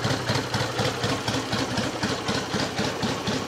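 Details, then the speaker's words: 1963 BSA Rocket Gold Star in touring trim at tickover: even idle beat about four per second with no rumble or rattle, the tappets very quiet and the top end clean, and it picks up sweetly. "top end of tapity noise tappets all very nice and quiet picked up nicely into the very sweet"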